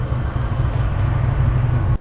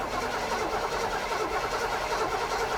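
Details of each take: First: '73–'77 GM A-Body V8 being timed at about 38 degrees total: a deep, steady rumble held evenly under a blip with no misses or rattles. Running cleanly and judged to sound awesome. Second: '73–'77 GM A-Body muscle car, being revived. It is cranked with the interlock keyed up and spins steadily but never catches. No fuel reaching it: the fuel filter is empty, and a gas jug is tried next.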